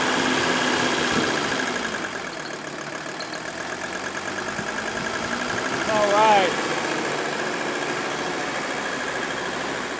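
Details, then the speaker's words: Mercedes 300D OM617 turbo diesel outdoors, camera close, after rebuilt balanced injectors and valve adjustment: idle clatter fairly even and settling, idled down, no misfires or stumbles; healthy idle. "we roll this outside and now I want to have you hear this run bring the camera in close this is unbelievable look at that and we've even got it idled down"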